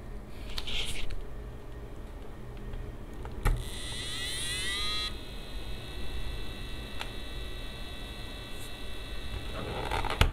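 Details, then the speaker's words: EK AIO 360 Elite pump: faint high whine over low room hum, brief warbling tone and clicks. "this microphone is actually very near to the palm itself so you can actually hear the whining this only happens when it kicks start meaning you say when you start from cold"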